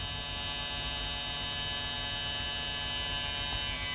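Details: Mitsun 5.1 HDMI ARC audio extractor through speakers: steady electrical humming buzz with a bright, hissy edge, unchanged throughout.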